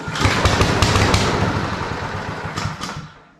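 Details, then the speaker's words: Powersmart 161cc self-propelled lawn mower started on primer: catches and chuffs unevenly about a second, dies within three seconds; won't stay running, owner suspects clogged idle jet or port. "this one runs uh didn't stay running right but it ran by pumping the primer so it could have a clogged Idle Jet or port or whatever sounds funky"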